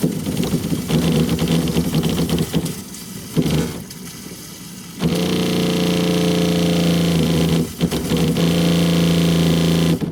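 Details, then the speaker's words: 2001 American Tradition RV fresh-water pump drawing from the holding tank with low pressure: hum drops out and kicks back in every few seconds with a click as the valve opens; pump cycling erratically, pressure switch or motor suspected, not confirmed. "So, we could we could actually have a switch problem, too. Um I'll let you guys hear it again as I'm as I'm opening the valve."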